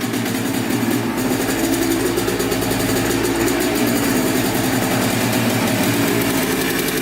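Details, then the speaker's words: Yamaha Blaster 200 two-stroke quad that bogs and has no power, idling up close with heavy white smoke: fast, buzzy idle that holds fairly steady with a slight hunt. Owner suspects a crank seal or an intake air leak running it lean. "there's an air leak right there"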